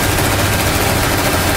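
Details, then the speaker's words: 1995 Chevrolet S10 at idle with 178,000 miles: fast, rough scraping flutter as the cooling fan barely rubs the shroud, because spacers holding the two shroud pieces together were lost; engine otherwise runs fine. "Oh, listen to that fan go. It's just barely rubbing against it. That's what that noise is."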